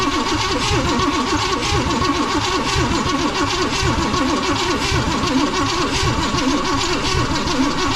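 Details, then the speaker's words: 1956 Chevy 3100 barn find with a 396 big-block V8, cranking on a jumped battery feed: steady rhythmic churn with only faint pops, never starting; the distributor cap and rotor are to be checked. "I hear it popping a little bit but it's not enough okay you're gonna have to do some checking here"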